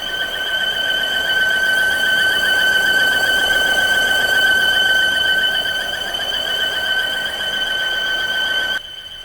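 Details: 2016 Volvo XC60 T5 engine squeal: a steady high-pitched squeal holds the same pitch over the running engine, possibly from a belt-area component. The owner has an idea of the cause but it is unconfirmed.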